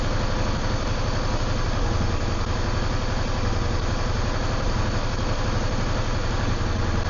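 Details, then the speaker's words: Yamaha V-Star 650 previously not running properly: loping V-twin idle with rpm slowly rising as it clears, no knocks or misses; rear cylinder oil smoke suspected from sitting, carburetors left untouched. "and actually feel that the RPM's just slightly lifting and lifting and lifting as it's clearing up"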